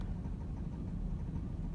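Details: 2008 Ford Ranger XLT 3.0, sat three years, warm engine, check engine light for cylinder 5 misfire: struggles to start, then low lumpy idle shaking unevenly, consistent with one cylinder misfiring.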